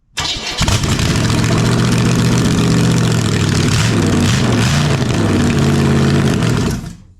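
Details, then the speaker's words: Cranking a cleaned-up replacement big-block starboard engine for a Scarab boat after fitting the starter exciter wire; even, steady cranking about four beats a second with no uneven compression pulses, sounding healthy. "yeah yeah that sounds that's that's that's healthy healthy yep"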